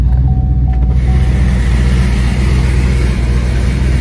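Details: Twin turbo Camaro, engine running in garage, owner checking after earlier hearing an off sound when revving: deep, steady rumble holding even with no knock, tick or whine; runs smooth and healthy.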